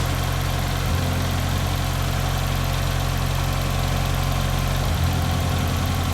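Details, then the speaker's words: Barn-find Ford RS Cosworth just after a new timing belt and water pump, idling while warming up: smooth, even idle with no tapping and no hunting. "how much nicer does that sound now you've got no tapping at all and there's no hunting or messing around with it"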